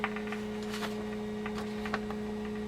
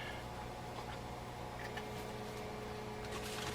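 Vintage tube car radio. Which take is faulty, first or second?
first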